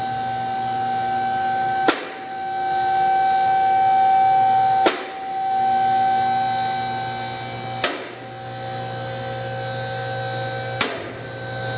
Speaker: now this lift has an automatic safety lock with the clunking you heard when the lift was going up was the Safety Lock engaging if you don't hear that clicking when it's going up you've got a safety lock problem and that lift is not safe to use